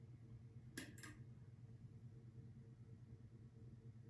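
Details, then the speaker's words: Restored 1942 Emerson 87641-AL reversible ceiling fan, shaded-pole motor with new GT-6 thrust bearing, run without blades, switched from medium (1.38 A) to low (1.31 A): quiet, smooth low hum, one light clink, no rubbing; healthy. "now let's drop to medium 1.38 and low"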